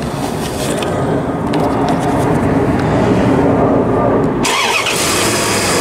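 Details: 1998 Dodge Ram with an intermittent no-start (starts only when sitting in the seat): loud cranking that catches and settles into running once the suspected fuse-box relay is bypassed by jumping the wire. Fault still unconfirmed.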